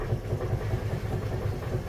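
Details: Rod knock on a 350 hp V8 at idle: deep rhythmic low thumping pulse, several beats a second, repeating steadily from the bottom end; cause unconfirmed.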